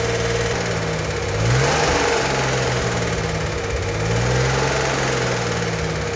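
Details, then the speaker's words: Freshly built turbo 1964 Corvair Monza Spyder at first startup, held at 2000 rpm for the 20-minute cam break-in before the lifters fully pump up: steady, even raised engine note with no knocks; a tight, healthy fresh engine. "We're not just revving it up to hear the clicking and clacking on the lifters before they're fully pumped up. To break in the cam, we need to run the engine at 2,000 RPM for 20 minutes."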